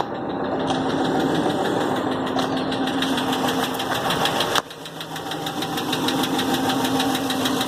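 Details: 2016 Hemi 6.4, 23k miles, at idle, starting 24 hours after a dealer oil change with fluids, gauges and warning lights normal: loose, uneven knock about three per second; cause unknown, it stopped after 24 hours.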